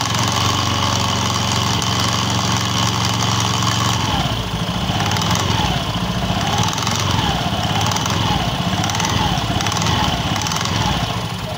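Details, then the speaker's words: Honda Beat FI scooter running: rough regular grek-grek, kletek rattle-grind from the CVT rear pulley, then switched off; CVT rear clutch rattle. "Oke teman-teman Mungkin cukup ya untuk mendengarkan keluhan pada motor ini suaranya grek grek grek grek pada bagian cvt-nya"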